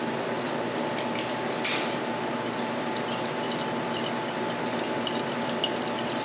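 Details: La Cimbali 220 V espresso machine pulling a double shot: steady mid-pitched pump hum under a hiss and trickle of water, even and unwavering; pump running normally.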